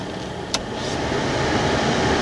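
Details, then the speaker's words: Air-conditioned Chrysler 300K blower fan stepped through medium and full via the heater push-button switches, with three fan speeds expected. A steady airy rush with one switch click grows louder with each speed; the blower runs smoothly and normally. "and full so even with the switch pushed all the way in if you have any one of these buttons pushed you have the fan on low that's how it's wired"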